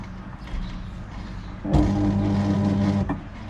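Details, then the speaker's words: Toshiba 9 kg washing machine in for loud noise under the machine and failing to spin-dry: motor ramps up spin with a steady, smooth hum, no grinding or knocking, bearings barely audible; spin sounds healthy. "แต่ตอนนี้กำลังทำการดันรอบสูงขึ้นเรื่อยๆนะครับของหมดเด้อครับอ่ามีโปรแกรมของเขาก็ค่อนข้างจะเงียบอยู่นะไม่ค่อยได้ยินเสียงลูกปืนนะครับ"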